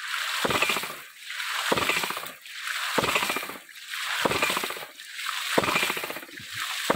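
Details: Mini hydraulic ram pump (hidram) rated 150 psi: steady surges every ~1.3 s, each a rushing slosh then a clack, cycling normally.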